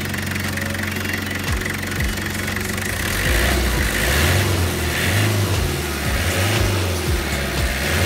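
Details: Toyota Dyna 5L diesel, after front engine noise was fixed: even idle with a steady low rumble and only light combustion clatter; engine sounds settled and healthy.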